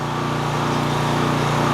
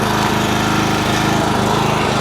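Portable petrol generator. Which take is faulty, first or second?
first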